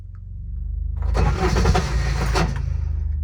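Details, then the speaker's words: Intimidator diesel UTV, cold, hard start: slow, uneven cranking thumps with a harsh grinding whir midway as the starter Bendix slips and spins free; owner suspects glow plugs not working, switch held over three seconds. "And that's the Bendix. Three seconds. Oops, almost got it."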